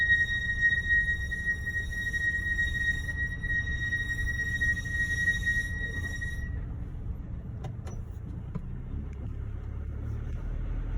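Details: Mercedes GLC makes a loud, steady high-pitched brake squeal over low road rumble, cutting out then returning; present since ownership began in November 2019, dealer says nothing is wrong but offers pad replacement.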